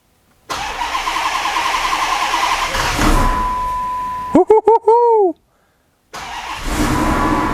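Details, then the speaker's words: 2015 Hemi twin-charged Magnum build on its first start attempt, fuel pressure 59 psi against a 58 psi injector spec: cranks and catches briefly with a ragged note, then stumbles and dies. Owner suspects it wants more fuel and plans to enrich the startup table. "all right it's kind of acting like it wants more fuel here [Applause] yeah I think it wants more fuel so I'm going to mess around with the startup table try to add a little bit more"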